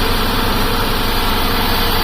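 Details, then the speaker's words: 2008 Buick Lucerne CXL 3.8L FWD with code P0300, shaking and hard to start: rough, uneven lumpy idle with no steady beat; no spark from one coil. "Let's start it up. This thing runs like crap. Yeah, we're getting nothing."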